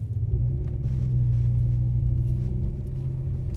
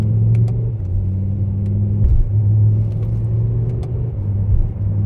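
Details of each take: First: BMW M6 with S85 V10 swapped to a DCT gearbox, in development, road driving: low, steady engine rumble swelling evenly as the car pulls away, no jerks or clunks; smooth take-up. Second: BMW M6 with S85 V10 swapped to a DCT gearbox with shorter final drive, on-road drive: a brief misfire-like stumble between gear shifts, actually the DCT adapting to torque information during development, while the shifts stay smooth.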